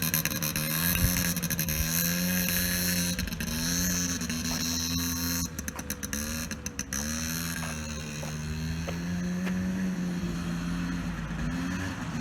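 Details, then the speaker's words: 2001 Polaris Scrambler 50 ATV, which stalled and bogged after a few minutes of running, after carburetor cleaning and reassembly: steady single-cylinder buzz rising and falling with throttle, sounding healthy; normal running. "okay that seems to be running all right I'm seems to be running good so far"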